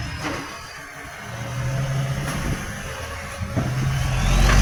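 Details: Truck with a massive exhaust leak: loud, raw diesel roar with a rough puffing edge that swells as revs build, making it very loud.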